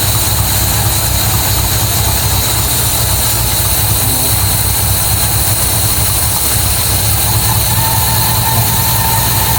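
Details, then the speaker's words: MGB GT V8 at first start in neutral, idling at about 400–500 rpm with 40 psi oil pressure: a deep, uneven, loping idle. No air filter is fitted and the carburettors are not yet balanced. "thing, so still running very lumpy. Oh, I didn't find it running that bad. Got no air filter on it. I haven't balanced the carbs,"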